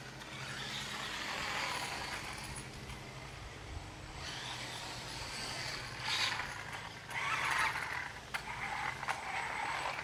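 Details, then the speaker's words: Traxxas Rustler 4x4 RC car running with the transmission cover off: uneven gritty, high-pitched grinding from the drivetrain comes and goes; owner suspects a grub screw rubbing the spur gear, cause unclear. "It's running all right, but it is making a funny noise, I think. See if you can hear that. It might be where that grub screw is rubbing against the spur gear, but it shouldn't be doing that."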